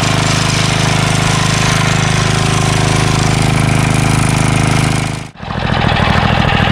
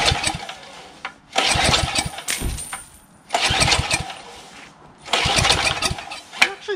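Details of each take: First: Craftsman 3HP Tecumseh lawn edger after water-contaminated oil drained, new SAE 30 oil, new carburetor, fuel line and air filter: starts after priming, runs fast and even with no misses. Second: Craftsman 3 HP Tecumseh lawn edger that had water in the engine, oil changed, spark present: three rough pull-start bursts, never catches; corroded carburetor filled with ice starving it, carburetor later replaced.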